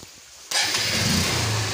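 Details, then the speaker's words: Honda Unicorn 150 BS4 after repair for starting, RPM and acceleration problems, air filter refitted, key on and self-start used: the starter whirs half a second, then the engine catches at once and settles to an even idle. Normal electric start. "अभी finally जो है गाड़ी को start करते हैं, अभी सबसे पहले इसकी की ऑन करते हैं एंड अभी हम सेल्फ यूज़ करते"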